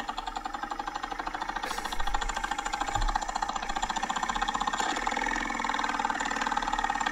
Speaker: it's that's a dying blower motor okay at the end of its life huh so was the the fan the blower motor cage actually broken in that case no huh wow it was probably a super old and yes probably rattling around a little bit and that's a noisy that's a noisy blower motor